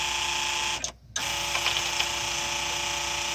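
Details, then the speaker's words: 1994 Polaris Indy 500 EFI snowmobile electric fuel pump jumpered directly to a charged 12 V battery: steady high whir with constant tone after a brief cutout; pump works and delivers fuel. "does have some gas in it so that's working ok the pump works that's a good stuff hope you guys heard that"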